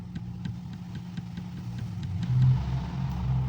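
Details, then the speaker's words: Chevrolet TrailBlazer/S10 steering column: dull, dry clunks about three or four a second as the shaft is rocked. Caused by a broken or missing bushing in the middle of the shaft, creating play. "barulho esquisito seco barulho é aqui vou mexer ali vocês vão ver bem aqui vendo aí aquele eixo ali tem uma bucha bem no meio que tá faltando a bucha que ela quebrou á bucha quebrada"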